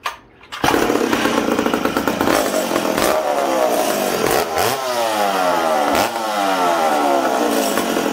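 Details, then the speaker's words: McCulloch Super Pro 70 chainsaw just reassembled after a fuel tank repair, run indoors on 45:1 mix: revs sag and climb unevenly, blubbering and struggling to clean out; too rich because the low-speed jet was set 1¼–1½ turns out, tuned for −20°. "uh this thing's too rich for being inside right now"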